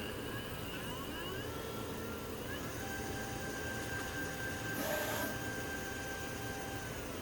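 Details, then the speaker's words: Nema 17/Nema 11 stepper motor on Pololu driver, powered from a USB power pack: steady high singing tones with a rough hum, pitch shifting with speed, vibration felt in the frame; normal running. "So it does make some noise at various frequencies. Kind of hear it kind of humming. Definitely feel a vibration in the frame."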